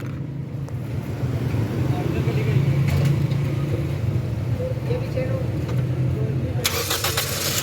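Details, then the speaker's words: Toyota GLI after repair of no-start, a fuse blown by a short from an over-tightened part replaced: low, steady rumble holding even pace without stumbling; RPM needle stable, running normally. "RPM की जो needle होगी stable है बिल्कुल okay हुई है"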